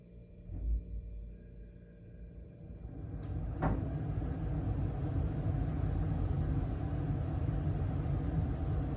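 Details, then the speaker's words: 2023 York HVAC indoor furnace blower starting in fan-only mode, not cooling; a click, then a soft low rumble ramps up and holds steady and even, no rattle or squeal, quiet and healthy. "okay so that was just fan only that wasn't in cooling mode"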